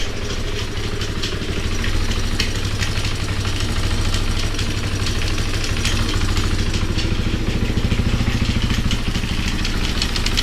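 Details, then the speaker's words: Honda XR200R single-cylinder, revived basket case, first start: idle with loose, uneven metallic rattle tracking engine speed from a side cover; owner suspects timing chain or clutch, unconfirmed. "ooo sounds like it's got a timing chain rattling something's rattling almost sounds like from right here the timing chain I believe is on this"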